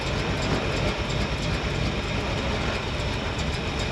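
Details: 1968 Suburban running after replacing the holed thermostat housing and refilling coolant; deep, even rumble with steady pulsing beat, no knocks, ticks or squeals. Running normally.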